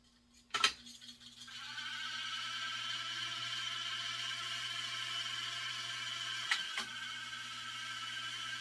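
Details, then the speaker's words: Revox B77 MKI reel-to-reel deck after restoration (new motor bearings), on fast forward: a click, then reels wind into a steady high whir with thin rattly chatter from the noisy mechanical tape counter, which may need replacing. "Stop. Now that noise is just the tape counter here. So I might have to get a new tape counter."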